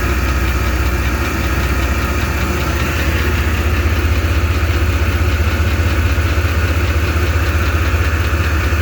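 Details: 1993 GMC 1500 pickup engine idling: steady regular knock or tap riding over the low rumble; engine knocking at idle, cause unknown.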